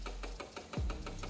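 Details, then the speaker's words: Royal Enfield Meteor over two years old, left parked two days: pressing the starter gives only rapid tak-tak clicking, about six a second, with no cranking while a warning light blinks; weak battery. "നമ്മൾ self ചെയ്യുന്ന സമയത്ത് switch ചെയ്യുന്ന സമയത്ത് ടക്ക് ടക്ക് എന്നുള്ള ശബ്ദം മാത്രമേ വരുകയുള്ളൂ"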